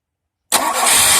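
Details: Engine restarted after repair. A stripped chain tensioner thread had let the timing chain jump 2–3 teeth, retarding the camshaft. The tensioner was replaced and timing reset; valves were not bent. It cranks, catches at once and runs evenly with no knock.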